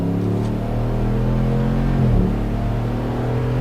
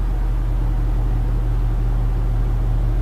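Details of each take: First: Truck after a new driveshaft was fitted, balanced with an indicator but no weights added: at 70–80 mph a steady low road and drivetrain drone with no hum or vibration; normal driveline at cruising speed. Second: A truck on a new driveshaft balanced by indicator without weights: a loud, steady, low droning rumble like rumble strips appears around 67.5 mph, absent at 70–80 mph. A driveline vibration is suspected to be the imbalance.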